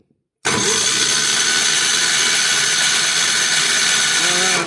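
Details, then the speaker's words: Mid-1980s Kawasaki KF82D-X 8.5 HP engine (from a John Deere Gator) with a no-spark fault, cranked during a spark check: steady high whirring spin without catching, spark now present; normal cranking. "I'm going to crank it and going watch up here and I clearly have a spark"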